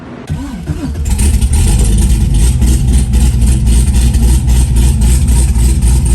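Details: Fresh V8 build with dual throttle body, intake and wiring just installed, first fire-up: catches after short crank and settles into lumpy deep idle pulsing about four times a second, running clean; normal idle.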